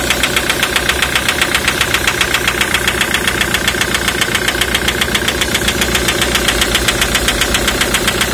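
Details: 2003 Ford Mondeo 3, 2.0 TDCi (FMBA) with Delphi common-rail injectors EJDR00301Z. Steady sharp ticking knock, about 2.5 per second, over the idle. Injector knock caused by a malfunctioning multiplier (return) valve, part 28538389.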